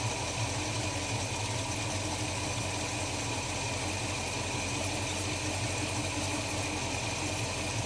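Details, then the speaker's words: Holden HK after new spark plugs and oil change, idling deliberately very low; slow, even, steady churn with no knocks or misses, a healthy engine ticking over. "that sounds about it to me I like to run a very low idle"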